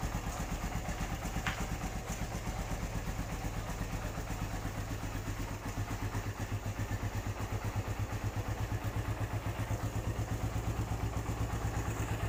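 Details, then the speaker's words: 2013 Satria FU 150 used motorcycle, about seven years in use: a steady single-cylinder idle with a light, even tapping about three per second. This tek-tek valve tick is typical of the Satria FU, and the engine is not noisy and sounds healthy. "menurut saya motor ini cukup lumayan bagus ya dari segi mesin masih Hai suaranya nggak berisik"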